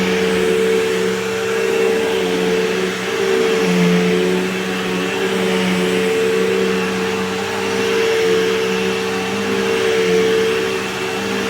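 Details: Canister vacuum with cord rewind, running and picking up debris: a steady, even motor drone with constant mid-pitched hum and airflow rush, no surging or rattles; running healthily.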